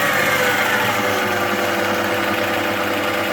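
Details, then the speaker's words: Cheap Aldi Ferrex drill press at high speed: steady motor whir with a continuous rasping scrape inside the drill head; owner expects an easy fix, cause unconfirmed; scraping noise. "Still got the same scraping problem inside, but we will probably fix that up a little bit later on."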